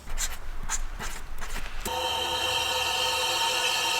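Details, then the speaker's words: Callaway-modified Range Rover P38 V8 on the stand during cylinder leakdown test: steady hiss of air rushing out the exhaust, a large leak, but caused by mispositioned piston; rotating the engine and retesting gave 2%. "not sure if you can hear that but that is a ton coming out the exhaust"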